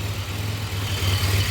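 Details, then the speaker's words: 2007 Pontiac Grand Prix GT, supercharged, after fixing a crank-no-start issue with a replaced ground and refitting the main and supercharger belts: a smooth, low, even idle rumble with no belt squeal or chirp; normal idle. "Everything seems to be be going good, so she's running."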